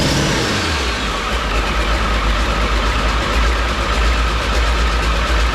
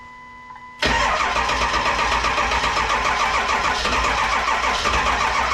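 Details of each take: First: 7.3 Powerstroke diesel swapped into a 1951 Ford shoebox with standalone wiring, smoky, after struggling cranking: deep, steady diesel clatter and low rumble at idle, no stumbling; runs normally before wires are cut. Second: 7.3 Powerstroke diesel swapped into a 1951 Ford shoebox with standalone wiring, cold start in Minnesota, smoking: starter cranks briskly, then slows and never fires; charger supply trips out and cranking dies; weak battery supply.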